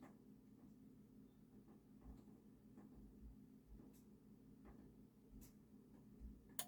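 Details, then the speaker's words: Onkyo TX-NR807/1007/3007/5007-series receiver at power-on: a single crisp second relay click with the speaker indicators lighting. If this click is missing, the HDMI board is faulty. Normal power-on relay click. "there's the second click. That's what you want."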